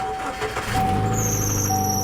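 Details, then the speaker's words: 2008 Mercedes-Benz GL450 with lift kit and 28-inch wheels at auction: steady high squeal with a second shrill tone joining, transmission oil temperature warning flashing; transmission apparently in trouble. "ooh yeah that sounds that sounds bad oh we've got a transmission light flashing that can't be good it says at oil temp so that's definitely a transmission screaming at us that something is very wrong"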